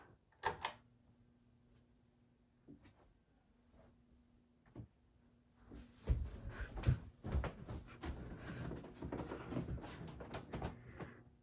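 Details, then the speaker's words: 1985 Alaska close-mount GE Vent ceiling fan with a light kit, running on low speed: a faint steady low motor hum under some clicks and handling noise. Normal running with a slight hum. "It's a little humming, as you can probably hear. But in my opinion, I kind of like a little bit of noise. But as long as it's not too terrible top shot."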